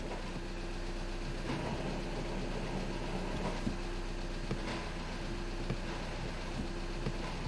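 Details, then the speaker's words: VW Jetta TDI manual, diesel idling in neutral while clutch pedal is released and pressed: loud gritty grinding from under the hood on top of idle; defective throw-out bearing. "it's a grinding noise i can hear it it's pretty loud yeah so the customer is complaining about that noise okay and this noise is caused by a throw out bearing"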